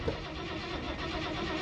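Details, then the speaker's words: 1968 Dodge D100 Sweptline, premium gas, clutch down, quarter throttle: starter spins the engine steadily but it never catches; crank no-start from no fuel delivery, fuel line found hanging loose. "are we not getting fuel I don't know why we're not getting fuel"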